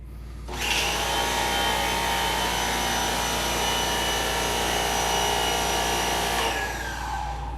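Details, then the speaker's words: WEN 2000 psi 1.6 gpm electric pressure washer running after quickly building pressure, steady motor hum and pump buzz measured at 82 dB, smooth with no knocks; normal running. "82 decibels very very respectable there it's actually a little bit quieter than some of the other units sounds really good"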